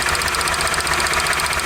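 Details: 1998 Toyota Camry with misfire codes on cylinders 2 and 3: steady idle with regular stumble, one cylinder not pulling; constant single-cylinder misfire on cylinder 2, plug wire ruled out, injector found unplugged.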